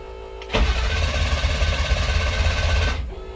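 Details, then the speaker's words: 2000 International 4700 low-mileage automatic truck with electrical faults, engine warning light not coming on at key-on: starter turns the diesel over evenly for about two and a half seconds but it never fires; crank no start. "I can turn the key on, but if you look here, I don't have, the engine warning light doesn't come on. It'll crank."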